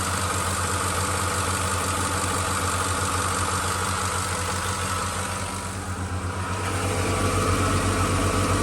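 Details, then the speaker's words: 2006 Ford F-150 5.4L three-valve at idle: light, even ticking over a steady idle; owner thinks it's just injectors, a neighbor suspects more, and phaser or timing chain guide issues are questioned; cause unconfirmed. "I felt like it was nothing, just injectors. And one of my neighbor friends is saying that they think that it's something more than that."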